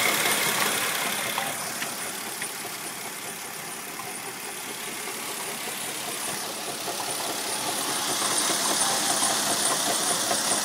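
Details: 1999 Mercedes ML320 idling: steady gritty hiss and whir over the engine, rough bearing noise; water pump shaft has play, worn water pump later replaced.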